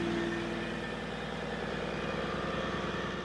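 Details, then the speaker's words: 1HD-FTE turbo diesel in a flood-damaged 100 series LandCruiser (HDJ100), idling after revival: lumpy uneven beat, one cylinder pushing weaker; owner suspects low compression from rings slightly stuck by rust build-up after flooding, running better each start. "it's running better and better every single time we started up it still sounds like it's a little bit low on compression on one cylinder and we reckon that is slightly stuck Rings"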